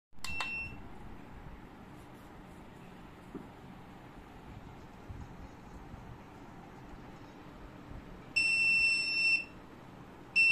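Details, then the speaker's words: Orico 6228US3 drive dock in offline clone mode gives six shrill electronic beeps of uneven length, an error meaning it cannot proceed with cloning because the source drive capacity is larger than the target drive, even though used space is smaller. "do you guys um hear that that's um that's basically an error to say that you can't proceed with the clone with the cloning"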